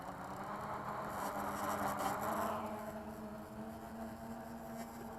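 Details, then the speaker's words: Diatone 250-frame quad with XK X350 board, stock XK ESCs and Bayangtoys X16 motors, overweight and under-propped: steady high whir held near full throttle, giving little lift; underpowered. "a lot of throttle for very little lift and you can see that a lot of throttle for very little lift"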